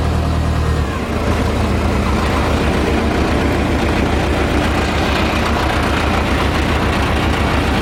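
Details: Case 580CK backhoe after engine swap: solid, steady diesel rumble with even beat, no knocks or misses while driving in reverse and forward; engine runs healthy.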